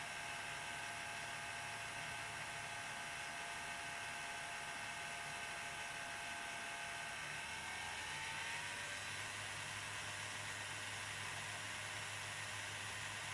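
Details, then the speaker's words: Bachmann 4CEP EMU model train (DCC-programmed), motor at low then rising speed: fine when slow, thin high whir whose pitch climbs toward midway speed, no clicks or grinding; owner suspects old grease in the motor, nothing broken or worn, before service. "So that's at a reasonably low speed. Perfectly fine. But then as you increase it, you get that whirring noise."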